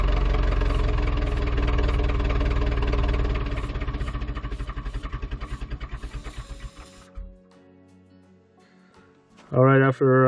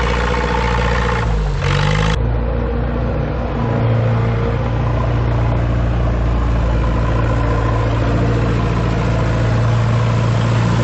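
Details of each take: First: Ford 2701E 240 cu in 4-cylinder diesel (IEL) on grapple log loader, sat 15 years since 2005/2006, old fuel: steady starter cranking about two beats per second, slowing without firing; fuel reached injector four, air still in system being bled; crank no start. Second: Ford 2701E 240 cu in four-cylinder diesel on a grapple log loader, sitting since 2005/2006 with 15-year-old fuel: brief start flare, then a steady, even low idle with no misses or knocks; normal idle.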